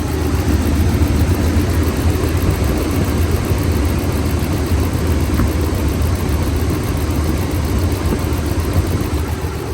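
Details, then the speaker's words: 2014 Ram 1500 5.7 Hemi with P1416 and P0306 codes, after replacing cylinder 6 MDS solenoid, lifters checked good: deep V8 idle with uneven loping beat, no knock or tick; cylinder 6 misfire traced to a loose new spark plug. "there all right so as you can tell it doesn't have an obvious loud knocker tick it sounds normal it just sounds like it has a dead mfire"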